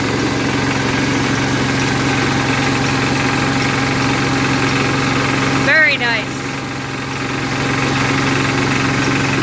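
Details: 1981 Case 210 garden tractor, first cold start of the season after winter storage, on choke, not in gear: steady, even single-cylinder idle with a constant low drone, no knocks or misses; running healthy.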